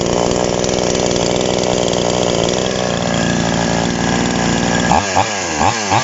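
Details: TOMITSU 5800-body two-stroke chainsaw, sprocket-gear clutch type, just after initial carburetor adjustment with a screwdriver: steady buzzing idle, then four or five quick throttle blips rising and falling cleanly; runs healthy.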